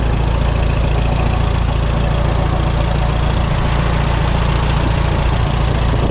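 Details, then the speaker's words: 1954 Allis Chalmers WD45 tractor at idle, clutch out in neutral: faint rubbing from the bell housing under a steady low throb. It stops with the clutch in; it may be getting quieter with running time. Cause unknown, possibly benign. "I do think the noise might be getting quieter the more I run it but it's still something isn't quite right"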